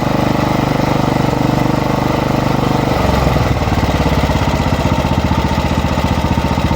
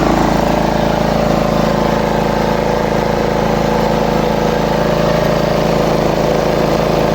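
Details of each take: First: Lawn mower engine drops from full throttle into an uneven idle that wavers and hunts; it steadies when air is blown in, traced to a dirt-clogged fuel intake line. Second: Small lawn mower engine after the repair and reassembly with the air filter back on: steady, even idle with no rising or falling of speed.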